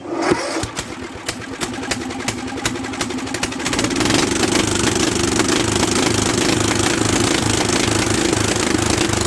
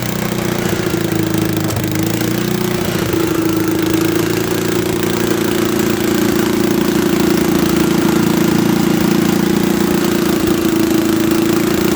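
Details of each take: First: Old Bolens tractor pulled from a barn after sitting for years, new battery, ignition bypassed; steady cranking chug about three per second with a few catches that never build into running, while trying to get it to pick up fuel. Cranks but won't start. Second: Late-1960s or early-1970s Bolens tractor that sat in a barn for many years, run with a bypassed ignition: a steady, even low drone with constant pitch and no misses or knocks; it idles smoothly.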